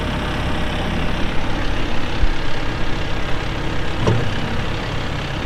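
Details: 2014 Massey Ferguson 1754 tractor, 53.6 hp diesel, only 173 hours: low, even diesel rumble holding a steady idle with no knocks or misfires; healthy normal idle.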